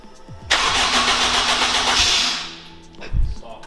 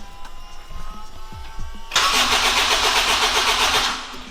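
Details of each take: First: Honda Integra DC5/RSX with a new Racing Circuits engine harness, first start in 8 months after adding nearly 20 litres of fuel: it catches cleanly, flares to a strong rev and settles; normal start. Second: Honda Integra DC5/RSX with a new Racing Circuits engine harness, first start attempt in 8 months: about two seconds of steady, fast starter cranking without firing, because there was no fuel in it; crank, no start.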